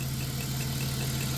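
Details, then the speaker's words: Warm 1994 Chrysler Town & Country AWD minivan at steady idle: a faint whirring chirp above the engine hum from a worn AC compressor bearing, audible when warm; also a small cold exhaust leak, suspected at the donut gasket. "Otherwise, all we hear is this AC um"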